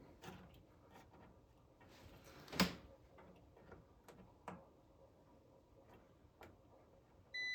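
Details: Supersonic pinball machine lamp driver transistor Q50 (bonus 8K lamp) being checked with a multimeter. Quiet probing clicks are followed by a steady continuity beep, showing Q50 is shorted and needs replacing.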